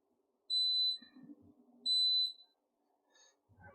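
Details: Newly installed replacement hob switched on for testing: two clear high-pitched beeps about 1.5 s apart in a quiet room, the normal power-on chirp.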